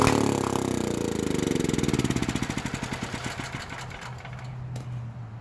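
Small engine fires in quick beats near four per second, then slows and fades out; it only runs on starting fluid with the carburettor still gummed.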